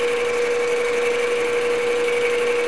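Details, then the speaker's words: Boring the tailstock bore of a Grizzly G0776 lathe, 0.003 in per rev feed: steady high spindle whine with faint rhythmic tick as cutter hits only top and bottom; interrupted cut on out-of-round bore. "and just engage it and let feet down you can hear hitting at the top let's say at the bottom"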